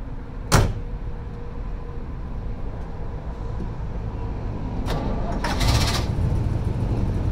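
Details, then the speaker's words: 1971 Chevy C20 barn find stored about 40 years, swapped 350 V8, started after storage: steady, deep, even rumble with no ticking or stumbling, a couple of door-like bangs; runs well, normal running. "sounds pretty good so"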